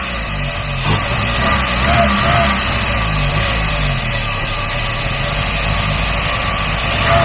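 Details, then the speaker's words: Free truck started with carb cleaner sprayed to keep it running, before running on its own fuel supply: steady even engine note, no misses or knocks, slight air hiss, doesn't smoke; engine sounds pretty good, normal running. "boys we got life it doesn't even smoke the engine sounds pretty good"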